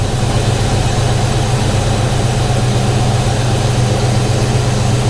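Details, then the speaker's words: 1991 Ford Mustang LX 5.0 V8 after long winter storage, started in 30s°F weather after a dead-battery swap and warming up. Deep, even burble with no knocks or misses. Normal warm idle. "man that 5.0 listen to that thing butter"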